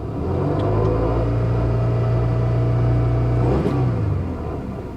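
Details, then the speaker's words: 1985 Chevy El Camino V8 bought wrecked at auction, long-sitting, check engine light flashing: steady revving drone with slightly uneven wavering beat; running rough, misfire suspected. "yeah she's still not running the best"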